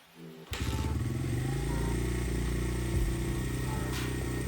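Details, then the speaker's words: Honda XR100 carbureted single-cylinder four-stroke, kick-started after sitting over 5 years: catches and settles into a fast, steady idle that is deliberately set too high before being lowered. "love to hear it let's see how the idle is too high that's what I was shooting for so now I'm going to lower the idle down"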